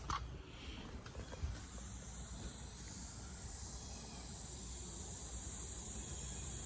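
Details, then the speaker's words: Flat car tyre, reinflated with a bicycle pump, gives a steady sharp hiss of air escaping at the puncture. Bubbles form at the spot, locating the leak before it is repaired with a tyre plug kit. "you can also hear it the bubbles are forming here so the leak is here I can feel it"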